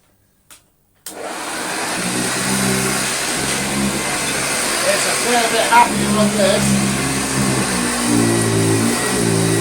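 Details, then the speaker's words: Original Hoover Junior 1334 upright vacuum running on carpet: steady, dry, coarse motor whir with a rough edge; brushroll and motor bearings have dried out, though the motor has plenty of airflow. "is dried out bearings both brushroll and motor let's try some the slightly thinner pile carpet"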